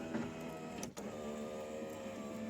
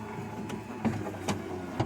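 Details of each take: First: 1994–2004 Ford Mustang power window going up: steady motor whine with sharp pops as the regulator gears grind and slip because they are misadjusted; the window rolls down fine and the motor is good. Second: 1994-2004 Ford Mustang power window after fixing the popping: the original motor was kept and the regulator bracket teeth were tapped to clamp the gears; the glass rolls smoothly with no popping.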